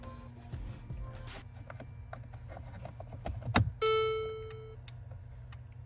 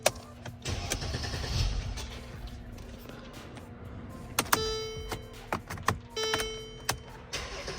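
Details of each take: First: Mercedes electronic steering lock, key inserted, microphone under the steering column: faint, uneven relay-like ticking means the lock has failed and is completely locked, so the car won't power on or start. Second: Mercedes after faulty electronic steering lock removed and emulator bypass installed: clicks and key handling, starter turns briefly, engine catches cleanly into steady idle; normal start confirms the repair.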